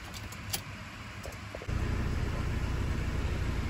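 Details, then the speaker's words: 2017 Ford Transit 2.0 EcoBlue diesel, after soldering in a replacement turbo boost position solenoid to fix lack of power, AdBlue countdown and codes P246B/P0045/P2564: engine starts at once into a steady, even idle, no dash lights, no fault codes; normal start. "we go engine running no lights on the dash"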